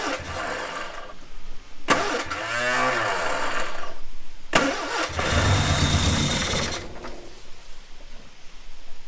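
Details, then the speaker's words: Ford Corsair 2000E barn find, sat for years; points cleaned, spark confirmed, brake cleaner sprayed in, coil wired directly: cranking with ragged catches that die away; later ran about 30 seconds. Engine fires but won't keep running. "She actually ran for 30 seconds, meaning she's got a heartbeat, and it still heartbeats and goes."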